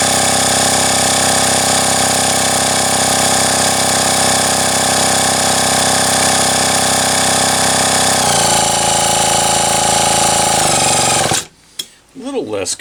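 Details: Homelite XL-123 chainsaw, carb cleaned, test-run with a drill after ignition work with flywheel refitted: high buzzing two-stroke note wavering and stumbling, then cutting out; uneven running, ageing coil suspected, not confirmed.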